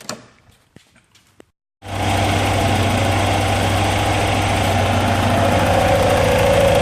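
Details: 944 after no-start troubleshooting; it had lost power at 5500–5700 rpm shifting 2nd to 3rd. A few clicks, then it catches cleanly and settles into an even, steady idle with no misses or knocks.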